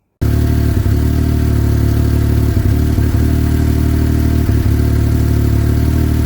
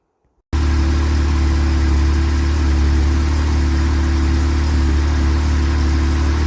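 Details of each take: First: Yamaha YXZ1000R, 1,300 miles, stock tune with lower fan activation temperatures: a steady drone with brief stumbles every second or two. Intermittent stutter traced to an unseated intake boot leaking air. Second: Yamaha YXZ1000R after fixing an intake leak: steady, even low idle with no stumble, hiss or misfire; smooth, healthy engine.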